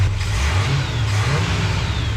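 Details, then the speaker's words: 1976 GMC low-mile V8, overhauled, carbureted, ignition timing not yet set: deep, smooth rumble rising and falling evenly with the throttle, no knocks or rattles; revs good, not noisy. "Sounds pretty good for not timing it right there though. Dang right. Rev's good. Sounds good. It's not noisy."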